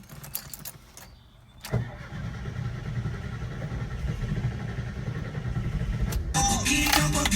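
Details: VW Bus after sitting about 45 minutes: quiet start, then steady even starter cranking turning the engine over, but it never fires; cranks, won't start.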